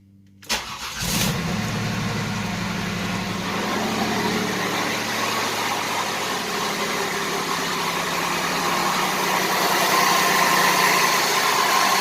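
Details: 1988 Buick Reatta 3800 V6 first run after sitting 10 years: it starts, then idles with a steady stumble about four times a second. The owner suspects an injector because of raw fuel, not confirmed.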